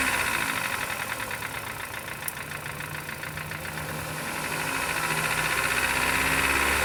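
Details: Knock from a 2014 Chevrolet Cobalt petrol engine, 70,000 km, at idle: steady hard knock about four times a second; teardown found play in the rod bearing, worst in cylinder four, with burnt black bearing.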